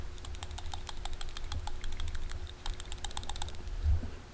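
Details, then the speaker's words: 2001 Honda Insight PCV valve after further brake-cleaner cleaning, shaken by hand: quick crisp clicking as the check ball moves freely back and forth; good to go back in; normal PCV rattle. "you can actually hear the thing the little valve inside moving back and forth so yeah this thing is good to go back in the car"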